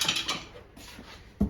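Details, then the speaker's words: Peugeot 207 rocked on its wheels after front suspension work; a couple of dull hollow knocks, suspected to be the loosened spare wheel gear in the boot rather than suspension; cause suspected, not confirmed. "We've got a new knock. Something's knocking."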